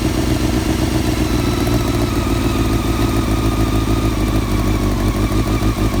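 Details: 1999 Honda CBR600 F4 with rebuilt carbs, new intake boots and balancing lines: uneven, lumpy idle with a wandering, stumbling beat; owner suspects an unfound vacuum leak.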